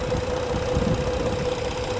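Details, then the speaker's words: 2013 vehicle with 3.5 engine at idle: steady idle with a dull regular knock and faint tone, smoke; suspected open/broken piston, cylinders misfiring at idle, oil pressure holds and it runs better revved. "no se oye igual pero mira el humo ese humo no me gusta para nada Esto indica que hay un pistón abierto por ahí"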